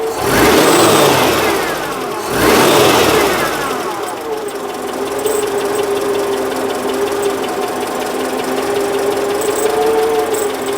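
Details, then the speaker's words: Citroen engine after exhaust refit, two quick revs then idle with a rough rasping scrape and steady whir from the back of the engine; owner suspects the new alternator's bearing failing, not confirmed. "The scraping noise. It almost sounds like a scrape. Or maybe it is just the slow death of the new alternator."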